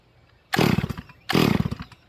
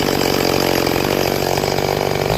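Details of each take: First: Rebuilt Stihl MS440 chainsaw during manual carburetor tuning, idle jet opened far: two throttle blips with blubbery, uneven burble instead of a clean scream; over-rich, probably flooded, low jet barely open, to be opened about 3/4 turn. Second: Rebuilt Stihl MS440 chainsaw with a freshly tuned manual carburetor: a high, steady, screaming rev holds clean in the cut without bogging or four-stroking, then drops off; running strong.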